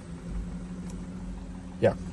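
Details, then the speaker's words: 2010 Audi A4 2.0 Quattro after P0300 misfire diagnosis (cylinder 3 coil previously changed) and spark plug fix: even, steady engine note with no stumbles or skips, no misfire seen; normal smooth running. "but overall the car runs smooth uh I hope you can hear the uh the engine voice I mean the engine noise there's no is like running smoothly that's what I mean"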